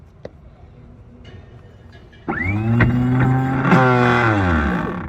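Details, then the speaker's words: 1981 70-foot Hatteras anchor windlass during inspection: motor starts with a strong low hum and rough grinding edge, pitch sagging as it winds down; gears not engaging, springs suspected fitted in front of the pins. "that did not sound that sounds like gears grinding"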